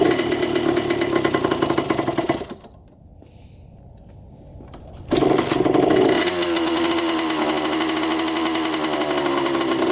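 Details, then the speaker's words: 1987 Honda CR80 two-stroke dirt bike, after mixture and carb adjustment: steady, slightly raised buzz with a dip midway, then settles high again; idle too high. "oils a tad high I think it's because it's missing the the line from the carburetor that goes right here"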